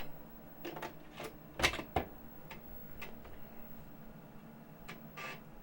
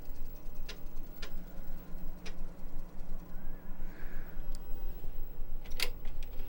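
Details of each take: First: 35+-year-old Amiga 1000 floppy drive after cleaning the head with alcohol and oiling its moving parts: irregular head-step clicks and short seek buzzes. It boots Kickstart and Workbench fully; the drive sounds healthy. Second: 35+-year-old Commodore Amiga 1000 floppy drive: steady light ticking about three a second as the head steps back and forth without loading. The Kickstart disk won't boot; cause unconfirmed.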